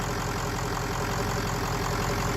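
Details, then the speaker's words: Kill Devil 600HP 6.0 Powerstroke in a Ford Excursion, first run after swapping the shorted original engine harness: a steady, even diesel idle with a regular light clatter and no misses or knocks; a healthy idle. "Diesel, it's running. It's running, Diesel. It's running, big boy."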